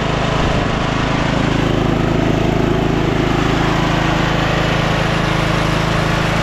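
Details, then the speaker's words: Scotts 15/42 lawn tractor single-cylinder engine, fired right up after jumping the starter, carb not cleaned: steady, even drone at constant speed, no misfires or rattles; healthy. "how does it run so good jeez fired right up"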